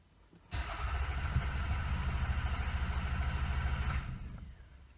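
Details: Toyota Camry with the EFI fuse pulled: the starter spins the engine at a steady rhythm for about three and a half seconds with no firing at all, a crank-no-start because no fuel is injected.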